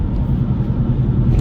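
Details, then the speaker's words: 2007 Nissan Xterra, 218K miles, driving: deep steady rumble under road noise that quiets in a right turn and returns when straightened; right front wheel bearing suspected and replaced. "hear how much quieter that just got A lot quieter now when we straighten up you're going to hear that Rumble come back here we go we're going to straighten up"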